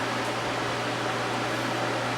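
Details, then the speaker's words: Small unbranded 12 W desk fan (model HVRA4D) after straightening the bent blade: soft, steady low hum under even airflow hiss, no wobble or ticking, nearly silent; normal running after repair. "that is a lot better and it's quiet too it's nearly silent"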